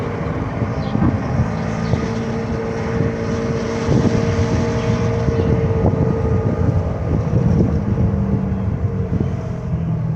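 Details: 2010 Dodge Grand Caravan, about 200,000 miles, driving above 30 mph: steady low drone with faint hum under wind noise, like an airplane, louder turning one way and almost gone turning the other; source not yet found.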